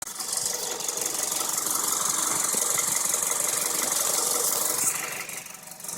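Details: Engine at idle and while revving: light, quick ticking about four times a second; the owner is unsure whether an injector or a lifter is the cause.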